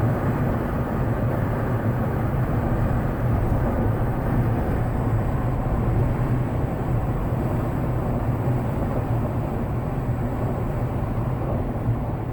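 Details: Jeep JL with Bestop Sunrider fabric top at about 58 mph after massaging windshield-frame top seal and loosening/retightening door rails: steady low wind and road roar, no whistle or flapping; much improved, acceptably quiet.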